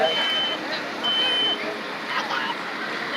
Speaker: I didn't need to see the smoke but I can hear that smoke alarm going off that gives you your timer I started my time with smoke alarms started going off